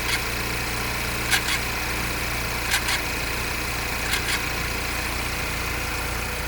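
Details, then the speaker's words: 2017 Audi A6 2.0T Quattro auction car, idling after refilling coolant and replacing blown-off coolant hoses: steady idle with a short double chirp about every 1.5 seconds; cyclic noise of unknown source, owner wonders if water pump related. "Not really sure what that noise is. wonder if it's something to do with the water pump. I don't know if it's like a variable flow or it's got some sort of flap that actuates, but it keeps making that sound, which is a little weird."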